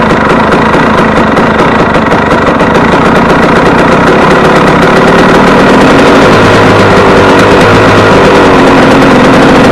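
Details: Warm KTM 250 EXC two-stroke on 40 pilot jet, idle lifted slightly: high, uneven, rough rising idle that won't settle back down; owner says it runs away from being too lean.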